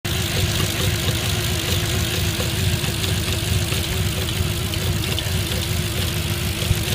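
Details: 2005 Audi A6 C6 with a cylinder 1–3 misfire: lumpy, uneven idle with irregular stumbles and shakes breaking the rhythm; engine misfire at idle.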